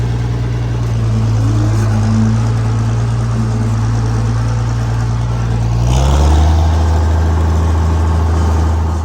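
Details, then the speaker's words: International 706 tractor, recently brought home; deep diesel idle, then a short harsh grating crunch going into gear; gear clash because the tractor has no transmission brake. "So, without further ado, let's give it a shot, huh? Very quickly hear the lack of a transmission brake."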